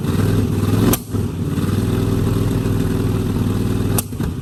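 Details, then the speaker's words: 1969 Mustang V8 that sat 15 years, running after new solenoid and voltage regulator: rough, uneven running with two sharp pops spitting back through the carburetor, definite misfire; owner suspects timing slightly off and expects new plugs and wires to help. "I think timing may be off a little bit the reason you're spitting back but it still has a definite Miss"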